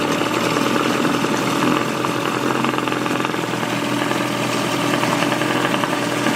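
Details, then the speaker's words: Small two-stroke outboard, sat many years, new spark plugs, running in test barrel: even, steady buzzing with no misses or stumbles, starting to clear up; normal running. "Sounds like it's starting to clear up."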